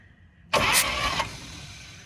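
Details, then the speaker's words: 1950 Chevy Styleline six-volt car, sitting 41 years, previously stuck engine, only starter wired; short cranking burst turns over freely with a puff from a loose spark plug showing compression, healthy cranking. "nice yeah I know that sounds healthy a lot of work yeah oh my goodness"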